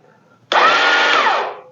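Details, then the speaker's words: Chinese clone of a Suzuki King Quad ATV: about a second of high electric whirring as the starter motor spins freely while the engine never turns over or fires. This is typical of a bad, slipping starter clutch. "you hear that starter motor's turning nothing's engaging so that's usually typical of the starter clutch being bad"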